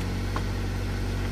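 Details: Nissan Grand Livina engine idling, heard while troubleshooting a car remote that suddenly stopped working (remote battery suspected dead): steady, even low hum with no misses or knocks; smooth, healthy idle.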